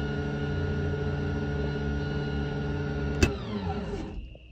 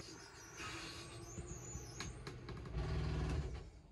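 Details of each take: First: Lippert RV slide-out motor before repair: motor whirs at a steady, even pitch with no load and spins freely while the slide does not move; stripped gearbox gear. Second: Lippert RV slide-out motor after repair with a new metal gearbox gear, greased: steady low gear-motor drone with no grinding or clicking, sounding smoother than before; normal slide operation.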